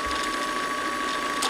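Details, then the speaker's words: Sewing machine bobbin winder, badly wound bobbin: fast busy ratcheting clatter over a steady whir, the bobbin flopping around on the winder; loud but harmless. "so hear the noise that is just the bobbin flopping around it's going to make a lot of noise nothing Horrible's happening"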